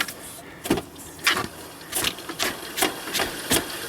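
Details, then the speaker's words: GMC truck with new engine being installed, hand-spun slowly: gritty, scratchy rasp with each turn, compared to quieter ones; dry bearings. "now you can hear the bearings are dry yeah compared to quieter"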